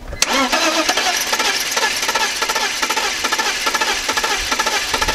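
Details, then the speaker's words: BMW E46 after about a year and a half sitting, new battery and oil filter, old fuel, water pump bad: starter turns engine over evenly for several seconds but never catches; crank no-start, cause unknown, coolant leaking onto belt. "think dude it almost it wants to turn over"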